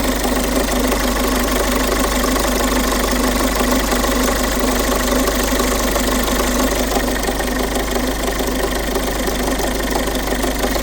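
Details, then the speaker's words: Peugeot 5008 1.5 HDi diesel idling with an even rattling knock about three per second from the camshaft timing chain side; old chain stretched almost one full link, tensioner worn out. "В общем, причина стука двигателя 1.5 HD на Peugeot 5008. Ну, одна из причин, равномерный такий звук, стукающий со стороны цепки. Всё-таки правильно оказалась цепочка."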